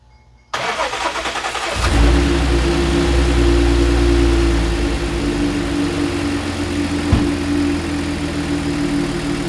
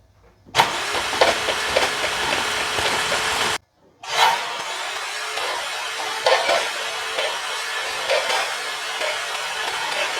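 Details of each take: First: Audi C7 supercharged engine after intercooler core failure and suspected hydrolock, reassembled: brief crank, catches within a second, steady even idle with no misses or knocks; normal start and idle. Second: Audi C7 after intercooler core failure, cranked with coil packs and plugs out: fast airy chuffing, pause, more cranking as dirty water blows out of bank one cylinder 3, rear passenger side; hydrolocked cylinder.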